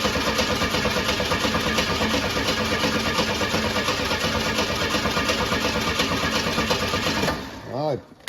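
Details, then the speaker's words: 1985 AMC Eagle, sitting unused for years: steady rhythmic starter cranking at about three turns a second for seven seconds with no firing; fuel pump won't pump fuel, so the pump is suspected bad; not confirmed. "Got it hooked on the fuel pump, but it will not pump fuel."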